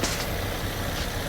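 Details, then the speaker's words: 2014 Nissan Murano after full tune-up and catalytic converter replacement: short, low, even hum at idle with no knock, tick or miss; smooth, healthy idle. "all right all done everything back together this how she sound now"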